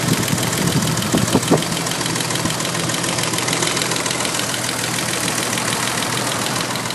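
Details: BMW M30B35 engine at idle with sharp, quick ticking over busy clatter; valve train knock from excessive clearance, 0.30mm, on settled rocker arms.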